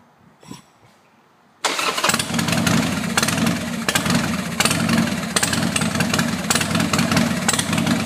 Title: Sporty wont start.